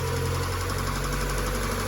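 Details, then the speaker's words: Peugeot 406 idling, waiting for oil to circulate, temperature normal, sounding smoother: steady low idle with faint light ticking on top, noisy at first possibly from lack of oil. "Mungkin berisik karena tidak ada minyak. Terdengar suara di awal."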